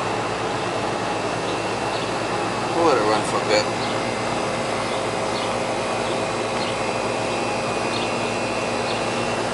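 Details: Goodman AC condenser (house not cooling) running after the capacitor tested no good: steady even hum with faint constant tone and fan rush, no knocks or rattles; running normally.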